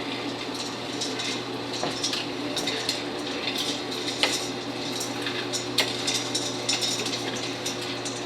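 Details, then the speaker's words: 1959 Axeman Anderson 130M coal stoker boiler on low settings. The solenoid clunks on at 81 °C stack temperature, and the auger starts at about 3.75 rpm with the fan just under 1,300 rpm. Steady hum with irregular coal-feed clicks; it runs normally. "you'll hear the solenoid clunk on once it gets to 81 degrees and the auger will start there you go [Music] now it's running"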